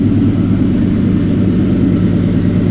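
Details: 2003 Mustang Cobra V8 idling after a new 200 A KMJ alternator install, charging about 14.2 V: deep, steady idle with an even beat and no ticks, knocks or belt squeal; smooth, healthy normal idle.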